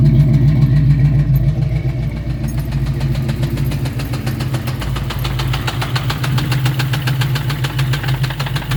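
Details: 1999 Ford Mustang GT 4.6L 2V at idle: steady idle with a regular light knock, about three to four a second, sharpening toward the end; owner suspects a rod going out, unconfirmed engine knock.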